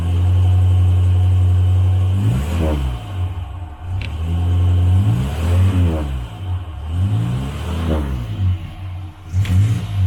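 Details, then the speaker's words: 1968 Morris Minor 1000, first start of 2023, after cleaning the spark plugs and warming up. Deep drone through throttle blips, much better than before but still slightly rough and not firing perfectly. "I'm just gonna turn on the ignition again it's a whole lot better [Music] still not perfect you can hear it [Music] took the chilled off it is still not perfect"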